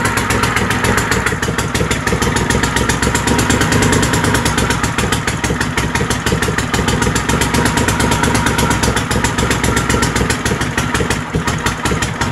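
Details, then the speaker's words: Troy-Bilt GTX 20 with new lapped valves and gaskets, carburetor issues, gas fed directly into carburetor: rapid, raw popping exhaust bark at steady idle with no muffling; muffler baffles gone, running on straight pipes. "so you guys get the drift it runs the muffler basically isn't one's as straight pipes"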